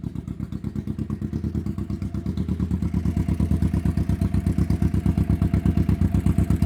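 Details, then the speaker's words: 1991 Kawasaki EN500 idling after out-of-range new pickup coils were replaced; those coils had thrown off the ignition timing and caused stumbling. New ignition coils and oil fitted. Now a steady, even low thump near three beats a second with no missed beats: normal idle. "they've thrown off the ignition, set the timing wrong, stumbling, bumbling as we saw before. And now you can hear uh we've got that sorted. So that's phenomenal."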